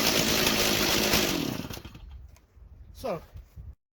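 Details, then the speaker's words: 2003 Stihl MS 290 Farm Boss 56.5cc two-stroke chainsaw, revived after cleaning clutch and air housing, cutting an old Christmas tree: strong even high-pitched snarl through cut, revs fall away cleanly, no stumbling; normal cutting under load. "So there you go. It works awesome. Stihl 290 series."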